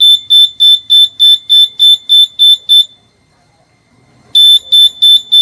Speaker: तो जैसे ही ये दोनों की कनेक्टिविटी हो रही है तो ये सायरन गिप कर रहा है।